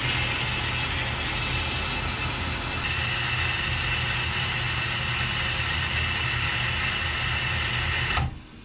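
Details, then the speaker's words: Newly installed boathouse water pump with wall hydrant open, flowing water and purging air: steady motor hum with high hissing water rush, then shuts off; builds pressure even while flowing, pump healthy. "and even with water flowing it'll build pressure and shut off so the pump is doing pretty good"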